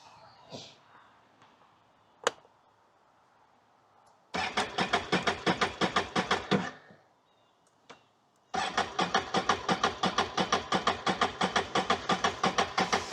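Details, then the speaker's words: 2022 Can-Am Outlander 650 XT that would not restart after about 10 minutes off on the trail: two cranking bursts after the fuel pump connector was reconnected never catch. The 5 A fuel pump fuse keeps blowing, so no start. "it did not start and that 5 amp fuse is blowing as well"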